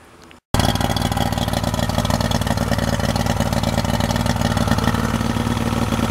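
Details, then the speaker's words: 2003 Yamaha 90 HP two-stroke outboard idling lumpy with dropped pulses, won't rev past about 2,000–2,500 rpm, running on two cylinders; number three cylinder flooded by a leaking fuel pump diaphragm. Good spark, compression and clean carbs. "This is why the motor won't rev up past about two grand and sounds like it's running on two cylinders because the number three is getting flooded out."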